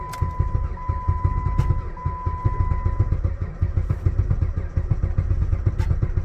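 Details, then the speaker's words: Jeep Patriot at -36 °C to -40 °C with a failed block heater, about the 15th start attempt using the pedal-to-floor method: catches after long cranking and runs rough with low uneven knocking thumps, check engine light on; hard cold start. "oh it was so close there yay oh listen to the knocking check engine lights on no big surprise there she ain't happy"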